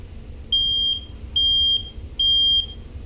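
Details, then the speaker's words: Household smoke alarm on test for National Fire Alarm Day, the working one after another unit failed: three loud, shrill, steady half-second beeps with short gaps; alarm sounds properly. "Wow. The smoke alarm one just failed. But this guy still works."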